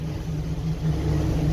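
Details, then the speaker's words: 1988 Jeep Wrangler YJ 4.2L straight-six, automatic, idle raised from about 500 rpm. Lumpy, surging idle with exhaust popping; over-advanced ignition and lean carburetor suspected; spark plugs show ash deposits. Timing and carb adjustments to follow. "so the main thing is you can hear the exhaust all that pop and that's normally this sign of a to advanced ignition and a lean condition on the carburetor"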